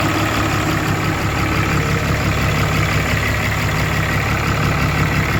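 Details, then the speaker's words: 2013 Ram 3500 fourth-gen Cummins diesel after a cylinder head replacement, idling after a test drive: a deep, steady clatter at an even idle pace with no stumbles or surging. Idles fine, but smells and the turbo is leaking. "just took her around she runs really good idling fine just stinks as all smells like"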